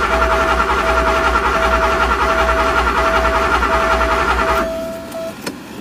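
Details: Porsche 928 V8 with open headers, sat all winter and unstarted 15+ years; long steady cranking with weak uneven catches never running, tach fluttering; no-start from crank position sensor connector fault.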